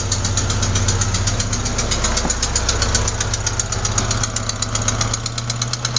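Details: Sharp, even ticking near four a second over steady idle; not lifters or rocker adjusters but a leaking exhaust manifold gasket at cylinder 4, which replacing the gasket should fix.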